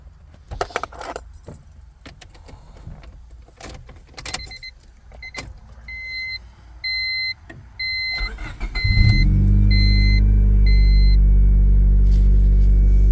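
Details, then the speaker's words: Impound manual Civic DX, dirty and somewhat rusty, with new distributor cap and wires; keys rattle, door chime beeps, brief crank, then catches and settles to a steady even idle; everything seems to work. Normal start and idle. "starts yeah everything seems to work fine"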